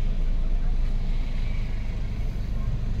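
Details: Toyota Innova driving over a bumpy road after front suspension work (upper ball joint had heavy play), steady low road and engine rumble with no squeak or clunk from the front suspension.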